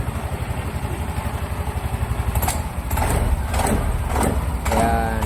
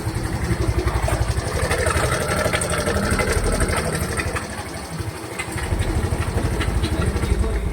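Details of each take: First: Mio i 125 scooter idling with a steady low putter, no knock or rattle, a few handling clicks, after replacing the shattered cam bearing (racing part) that caused excessive engine noise; now running normally. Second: Mio i 125 scooter idling with a very loud, rough metallic clatter over the idle beat; noise persisted with pulley removed and loose tensioner checked, camshaft removed revealing a destroyed cam bearing.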